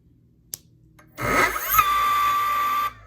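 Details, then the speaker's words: E-bike hub motor on a mismatched controller: the motor spins up with a harsh rising whine and rough growl, drawing almost 10 A instead of about 2 A. The cause is wrong hall sensor and phase wire matching, and the wires are being swapped. "See, it went up to almost 10 amps for some reason. Let me fix this."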